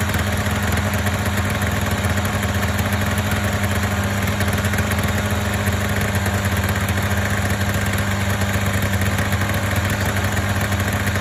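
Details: Polaris Indy 500 two-stroke snowmobile after used-parts top-end rebuild (overheated, no compression on one cylinder): steady even buzz holding one pitch, no misfires or rattles — normal idle.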